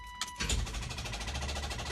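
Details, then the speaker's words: 1984 GMC Jimmy, 350 engine: ignition turned, one sharp click then rapid steady clatter with no cranking over a faint high tone. Starter isn't turning the engine; owner suspects a bad starter, not yet confirmed. "okay if you ever get in your vehicle and turn your ignition on and it clicks"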